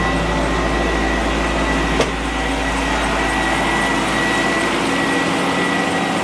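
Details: Mercedes C36 AMG (W202) after fitting W203 fuel lines: steady, even low hum, no misses, knocks or hesitation. Normal idle.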